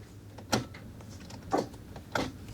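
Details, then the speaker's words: Mercedes-Benz S123 300TD diesel with 720,000 km, heard with the ignition on while a switch is jumped; a few sharp, dry clicks from the glow plug relay, which is working normally. "yeah I could hear a click but that was the glow plug relay"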